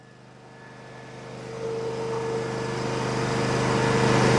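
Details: Miller Trailblazer welder's 27 hp Kohler engine, which had backfired and sputtered through the carburetor without starting, after repair: runs on a steady, even beat that builds smoothly in loudness with no misses; normal running.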